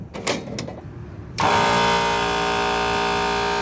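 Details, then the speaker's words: Walk-in freezer compressor, after two failures within weeks, started by pushing the contactor: unusually loud, steady droning hum while suction pressure doesn't drop, so it is running in reverse rotation; swapping two wires made it quieter at 7 amps. "see that suction did not go down so it's rotation going the wrong way and it's really loud generally when it's loud you're going the wrong rotation"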